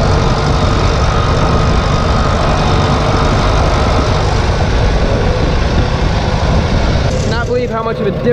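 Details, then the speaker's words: 1962 Farmall 140 tractor, revived after 10+ years in woods, after correcting crossed spark plug wires: steady, even low rumble with no misses or knocks; engine now runs smoothly and healthy. "difference that made the engine sounds good so improperly that was so dumb seriously I cannot believe it can even run the way that I had it wired that is unbelievable"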